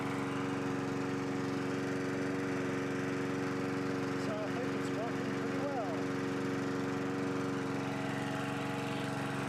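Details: 1982 John Deere 21 SP lawn mower engine after refurbishment, new old stock points and condenser gapped to .020 restoring higher rpm: steady, even drone at constant speed with no misses or surging; normal running.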